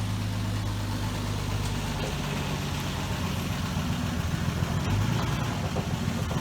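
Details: 1966 Dodge Dart GT, Slant Six 225, driving on a wet road after timing was reset from way advanced (about 20–25° BTDC). Deep, steady engine rumble under road noise, no misses or pops. Running much better, normal.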